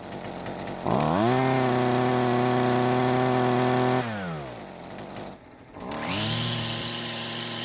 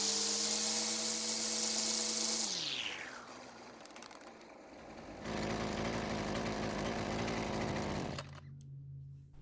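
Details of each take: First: Husqvarna two-stroke string trimmer, previously barely kept running after carb adjustments: buzz climbs, holds a wavering high note, sags and drops, then picks up again; runs rough and won't hold full speed, before repair. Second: Husqvarna string trimmer after a recoil repair: the small two-stroke buzzes steadily at high speed, then settles to an even idle, healthy and responsive.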